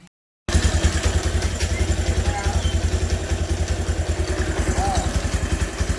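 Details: Bajaj Pulsar 150 with pickup problem, after carburettor work adding a little more fuel to the mixture: steady, even single-cylinder thump at idle, about three and a half beats a second, no misses or pops; idles cleanly.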